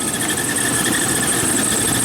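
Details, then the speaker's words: GMC truck engine running, belt-area view at A/C compressor: steady high whine and squeal over engine; suspected accessory belt or pulley issue, earlier squeal came and went, alternator being changed; not confirmed. "you can see that belt spinning there maybe so but definitely has changed soundwise it's definitely uh there was definitely an issue I think in here"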